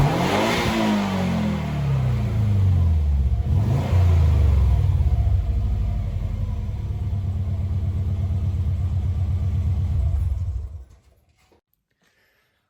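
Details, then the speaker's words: Subaru B4 with new aftermarket muffler can installed: starts, blips twice, settles to a steady deep moderate idle, then shuts off; owner says better than the open pipe, not very loud, as wanted. "to me it sounds better than it did with the open pipe it's not very loud but that's okay i didn't want it to be like super noisy or anything"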